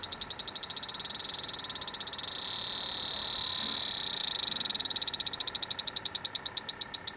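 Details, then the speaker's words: Dry air generator that lost its refrigerant, electronic leak detector at the evaporator coil, outdoors in wind: high-pitched beeping speeds up into a continuous tone near the coil, then slows again. Refrigerant leak detected at the coil. "It is going off in the roughly the same place, both sides. coming from this side."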